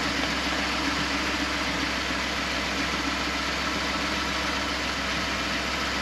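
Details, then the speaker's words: 1970 Chevrolet C20 V8 sat 13 years, cranked on jumper cables after dead battery, around 40–45°F: starter spins the engine at a steady even pace with no hesitation; turns over freely. "so we'll let it charge it charged up engine turns"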